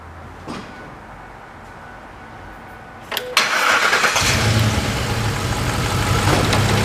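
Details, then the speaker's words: 2005 Ford F-150 4x4, 5.4L V8, code P0357 (cylinder 7 ignition primary circuit): cranks and starts into an uneven idle, running rough beyond one cylinder; misfire, cause not yet confirmed. "customers concern is that runs rough it has creep code P over 357 that's the ignition primary circuit on cylinder number seven"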